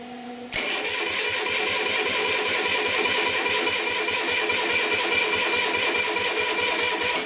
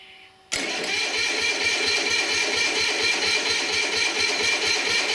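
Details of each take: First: Onan diesel generator, sat unused about 20 years, fan missing; after battery charger hooked up, starter cranks over a lot better, briskly and evenly at two to three compression pulses a second, though battery still weak. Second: Onan diesel generator, sitting unused 20-some years, start with no warmth felt on a doubtful battery: starter drags it over in heavy, uneven banging thumps about two a second without catching; owner thinks it is pulling the battery down. Cranked better on a charger.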